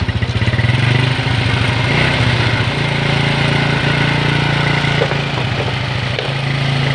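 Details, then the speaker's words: Honda Revo motorcycle with frequent spark plug failure, after air filter cleaning and carburetor work. The single-cylinder idles fast and steady with even firing but revs well above normal. Idle speed set too high. "Terlalu tinggi teman-teman gasnya ya. Jadi kalau gas terlalu tinggi, tensionernya kita turunkan ya."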